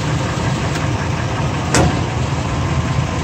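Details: 2002 Ford F150 SuperCrew shifted between reverse, neutral and drive while holding the brake, phone placed under the driveshaft at the front U-joint: a steady idle, then one sharp dull clunk on gear engagement. The rear U-joint is found bad.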